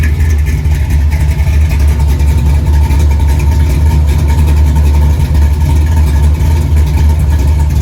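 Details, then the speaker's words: 1964 Chevy II Gasser with LS swap and Holley Terminator X, first start after coil pack harnesses were un-reversed; deep, steady V8 idle with lumpy cam lope, set at 950 rpm (target about 800); even, strong, healthy idle. "It runs. Got a pretty good sound to it."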